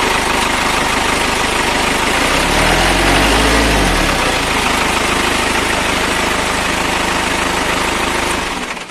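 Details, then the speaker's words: A Toyota FD-25 forklift engine in its 500-hour acceleration check: it revs up cleanly on the throttle and falls back smoothly to an even idle when released, with a normal RPM response. "Nampak RPM berjalan dengan normal, yaitu saat kita injak gas dia naik dan saat kita lepas spontan dia turun."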